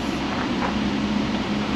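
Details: 2010 Ford Escape XLT 2.5 four-cylinder idling after its codes were cleared; there was a purge valve circuit code and an EVAP leak, and the earlier misfire code had self-cleared. Quiet, even low hum with no misses or knocks: smooth normal idle.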